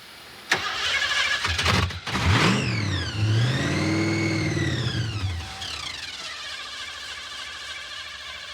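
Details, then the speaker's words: Roots-blown Ford Thunderbird at 9°F after long cranking without starting. It catches and revs briefly, then dies while the starter keeps whirring with the key out until the battery is disconnected: a stuck starter relay keeping the starter engaged. "whoa hey ah it's cranking and he's got the key out disconnect the battery the hood Ah that's not good it's locked up"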